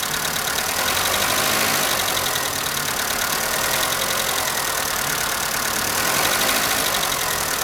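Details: Skoda Fabia valvetrain ticking on cold start in the morning: fast, slightly uneven light tick about four per second over cold idle; noise unchanged after the dealer replaced hydraulic lifters three times (3, then 1, then remaining 12).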